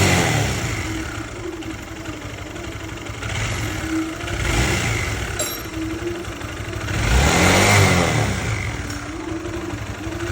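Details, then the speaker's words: Honda CB150 motorcycle engine idling and revving, owner's complaint a clunking tensioner and rough running: a busy, clattery mechanical noise from the top end, slack cam chain rattle, heard before teardown; ECU scan showed no faults. "Oke Guys ternyata suara mesinnya itu berisik ya guys ya"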